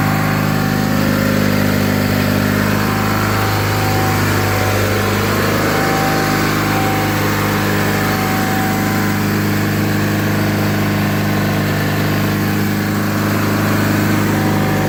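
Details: 1985 John Deere 318 garden tractor twin, running at fast idle after three months in storage: a steady, even chug with no misses or knocks. The engine sounds healthy.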